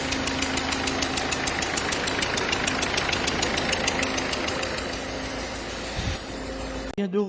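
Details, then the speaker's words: Ford Fiesta 1.4 TDCi DV4 68 hp diesel at idle: sharp regular ticking chuff over the clatter, steady with engine speed, symptom of leaking injector seals; all four to be replaced. "[Musique] c'est des symptômes des joints d'injecteurs va donc remplacer l'ensemble des cas demain de l'adducteur sur le dv 4 et les passages de 68 chevaux"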